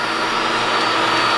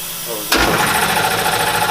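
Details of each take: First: New QuickLift screw air compressor in shop, replacing very loud old unit, first run: even steady hum with constant whirring tone, no clatter or pulsing; quiet, good pressure, normal running. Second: Old shop air compressor kicking on abruptly with a harsh, loud clattering roar and hiss, so loud you must almost yell to converse even with insulation around it; being replaced with a quieter unit.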